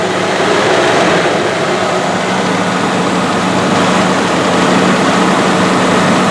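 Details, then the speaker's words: 1984 Rolls-Royce Corniche after replacing injectors on one side only, warming up: loud steady engine roar with even low drone, no stumbles; former hesitation and lumpiness gone. "well that's pretty good it doesn't seem to have uh the hesitation that it used to all the lumpiness"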